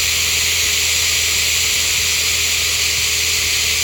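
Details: Engine with an Edelbrock setup: a steady loud hiss over an even idle with no rhythm or change; sounds like air being sucked in, a vacuum leak.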